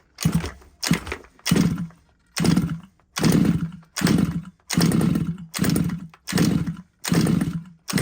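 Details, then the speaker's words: Petrol RC car from a used job lot, choke position uncertain: about eleven pull-cord zips, each a rising whirr with no firing; won't start, owner suspects it's flooded. "when I'm pulling it to me it feels it feels like it's um flooded"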